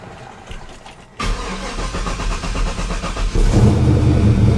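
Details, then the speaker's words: 1940 Chevy Master Sedan 85 started after sitting about 2 weeks: brief cranking, then the engine catches promptly and settles into a steady, even idle. A clean, problem-free start. "Sitting for 2 weeks, fire it up, not a problem. Not a problem."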